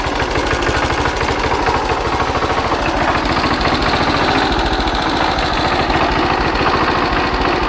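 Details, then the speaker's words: Hatz diesel single converted to spark ignition on woodgas from a gasifier, warmed up, ignition advance retarded about 10°: steady even thump about 3.5 beats per second, no misses, sounding much better. Normal running. "I think the ignition Advance is too too much let me uh ache that a bit and we're back it's about 10° earlier now now I'm very oh that sounds a lot better"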